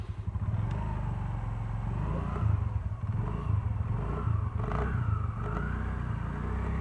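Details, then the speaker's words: TVS Jupiter scooter during belt change, running without exhaust fitted: starts right away and settles into a steady, rapid, loud raw beat; running evenly and well. "तो हमने इसमें gear fit कर दिया है और अब हम इसको चला के भी चेक करके आ गए हैं काफ़ी बढ़िया चल रहा है।"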